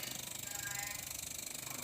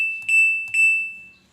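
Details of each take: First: LG two-door jumbo inverter refrigerator, sensors replaced with 1K resistors for PCB testing: fast, even pulsing buzz with faint hiss as the compressor starts and its RPM keeps rising; voltage barely reads (maybe 1.5 V); compressor ramping up normally. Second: LG jumbo two-door inverter refrigerator PCB on the bench without the display connected: pressing for test mode gives only two short, clear high beeps, as the board treats the missing display sensor as a fault and won't enter test mode.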